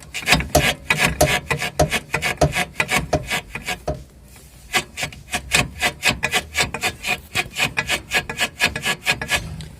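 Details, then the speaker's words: Front suspension lower control arm worked by hand, giving rapid dry rasping rubber squeaks; the rear silent block, over 40,000 km old, looks intact outside but its rubber is torn from the sleeve, same squeak on both sides, to be replaced. "у меня потом оно такое с обеих сторон такой ужасный скрип"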